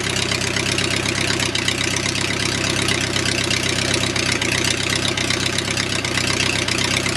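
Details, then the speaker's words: O-84 (4A084) with ECU fuel injection, just cold-started at about 75°F: loud, steady 650 rpm idle, cold and rich until 140°F, rapid regular firing pulses, no misses or knocks; normal cold idle. "that's 650 rpm idle and cold you'd never get that to do that 500 rpm right now because the engine is going through it cold and rich"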